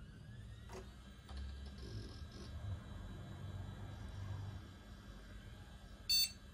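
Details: Shuttle HOT-591P Super Socket 7 motherboard with Pentium 90, first power-up: quiet fan hum, then one short sharp beep and nothing after; normal single POST beep, board passes self-test.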